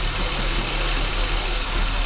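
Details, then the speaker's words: Holden VY Commodore (listed as both 3.8 V6 and 304 V8), running again after 7 years parked and fuel pump checks. Steady, even low idle with no knocks or misses; normal idle. "So, uh, there we go. Up and running."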